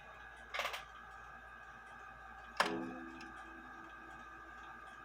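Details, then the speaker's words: Junghans bakers clock gong hammer with a newly glued leather tip, hands off, tested after refitting in the case: three soft gong strokes about 2.5 seconds apart, each ringing down cleanly; the leather quiets the strike, normal gong strike. "so the purpose behind the leather I believe is to make it quieter I like it louder myself but once that leather dries and that dries out but um forms to the Hammer I think it'll sound a little bit better"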